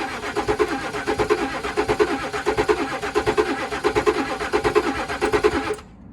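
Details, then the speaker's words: Range Rover Sport with a full battery, newly fitted valve, alarm disarmed and fuel primed: steady starter churn with an even compression beat for about six seconds, never catching; it sounded like it was trying, and a booster is suggested. "Shall I get the booster on it as well? It sounded like it was trying, didn't it?"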